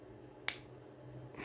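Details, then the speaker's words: Resistance spot welding machine, 4200 A, 650 mm tongs, for chimney/ventilation work: single sharp snap as hammered-in press-fit parts shift out of their slots during tear test; weld holds. "Ну короче он не оторвётся щелкает это вот эти вот из пазов выходят потому что я их забил туда молотком в пазы"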